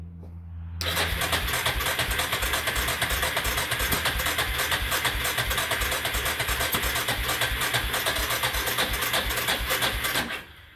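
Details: Yamaha with carburetor and accelerator pump, sat outside two years or more: steady starter churning about three turns a second for ten seconds, engine never catches; cause not confirmed.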